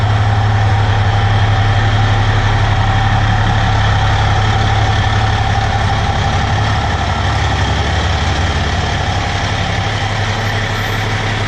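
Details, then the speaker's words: 4th-gen 6.7 Cummins diesel drag truck after a track pass, idling: fast, fairly even rattle about three a second; rattled in first to third gear, worst at idle, silent in overdrive with converter locked; owner unsure if transmission, torque converter or engine. "and then I noticed you know for first gear second gear third gear it it rattled but at idle it was the worst"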